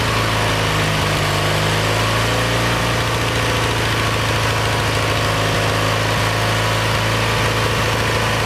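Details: Kohler Magnum 20 single-cylinder engine, about 40 years old, at operating temperature after carburetor rebuild and mixture adjustment. Steady, even beat with no misses or hunting; runs smoothly. Owner says that's about as good as it will tune and suspects it needs a valve job.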